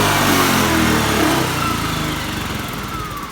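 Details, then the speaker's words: Honda Beat (ACG starter) scooter that flashed code 52 and lost ignition, after CKP sensor replacement, kick-started due to weak battery: runs smoothly and revs cleanly, steady firing with no misses, normal. "Motor hidup, oke, motor hidup dengan normal. Ya, normal ya, real ya ini."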